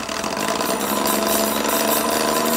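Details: Rad Power RadRunner 1 e-bike with Bafang hub motor, started rattling while commuting, no external damage seen: dense, busy rattle with a faint whir over a steady hum; hub motor rattle or gear grinding suspected, cause unclear.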